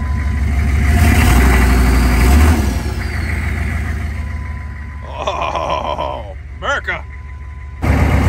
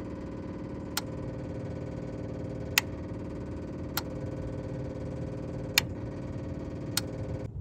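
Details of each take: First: 2000 Chevrolet C3500 4x4 turbo diesel repo truck, turbo spooling; steady, even idle with a low regular beat, no knocks or misses, good oil pressure; normal idle. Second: 2000 Chevrolet C3500 4x4 diesel, after five gallons of diesel were added: sharp clicks every second or two over a steady electric hum. The lift pump cycles on and off but no diesel reaches the filter body.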